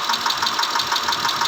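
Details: 2010 Mitsubishi Pajero 6G74 V6 at idle: sharp, evenly spaced ticking knock about six times a second over the engine note; engine knocking.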